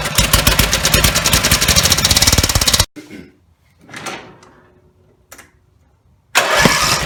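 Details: Rebuilt Briggs and Stratton 17HP (carb rebuilt, plugs, sump, oil slinger, gaskets replaced, valves reseated) screams at full throttle with a fast, ragged beat, cuts out when throttled down, restarts; won't idle; owner suspects the throttle linkage lever isn't resting on its screw.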